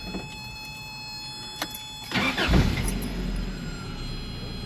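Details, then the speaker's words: Toyota pickup, tested before reassembly: key click, quiet pause, short crank, engine catches and keeps running, starter releasing normally, not stuck; starts better without touching the starter spade connector. "It starts even better. And that's that's how I'm not even messing with that little spade connector."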